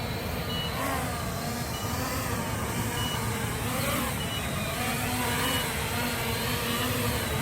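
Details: MJX Bugs 8 drone flying outdoors: steady buzzing rotor whine with faint, regularly repeating high beeps on top, the low-voltage (LVC) battery warning sounding in flight.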